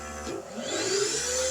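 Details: Ampeak 3000 W pure sine inverter on batteries running compressor, saw and vacuum, vacuum kicking in at about 1360 W, 108 A: motor spins up with rising hum and thin high whine, odd inverter noise under load, cause unclear.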